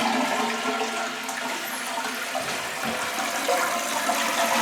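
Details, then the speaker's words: Toilet refill after draining trapped air from the supply lines: soft steady trickle with no big rush of water or valve hum; normal quiet refill. "see, the water is flowing, but the sound is much quieter. You don't hear that big rush of water. So all you hear is a little sprinkle that's going in the toilet."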